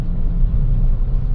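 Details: Vinfast VF3 after its rack and pinion was replaced twice for a knocking sound; the fix turned out to be greasing. While driving, only a smooth, even road rumble with no steering knocks. Normal steering, no knock.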